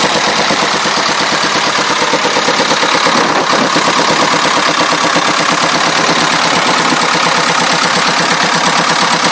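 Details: 2.25 diesel engine running harsh and loud with an uneven clatter near three beats a second; rattle source not yet clear; engine rattle.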